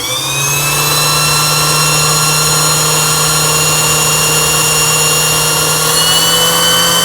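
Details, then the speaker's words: Singer 8280 sewing machine after repair, covers off, winder pushed right so needle bar stays still: steady high motor whine, smooth and even, no grinding; normal bobbin winding. "이렇게 해서 밀어주고 우측으로 제껴주고, 우측으로 밀어주면 바늘대는 움직이지 않으면서 푹실만 감기는 이런 영상이 되겠습니다."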